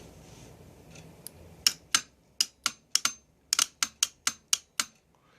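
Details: Mercedes E320 throttle body bench test, good reference unit: about a dozen sharp crisp clicks in an irregular string as the clutch coil is activated, small spark visible; coil engages cleanly, unlike the two tested units whose coils are dead.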